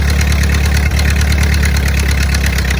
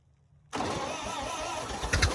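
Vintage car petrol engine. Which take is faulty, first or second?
second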